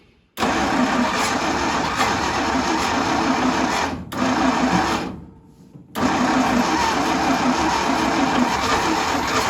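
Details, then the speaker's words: 1952 International Harvester L112 after fitting a new 12 V ignition coil, fed gas and starter fluid: engine catches and runs with a fairly even busy note, stalls briefly, restarts and runs; not yet steady, coil still heating. "So it will run, which is awesome."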